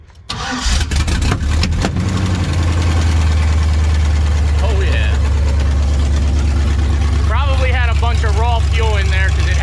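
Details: Car after a fuel pump wire and plug were repaired: it cranks briefly, catches within a second and settles into a steady, even low idle over background music; now running normally.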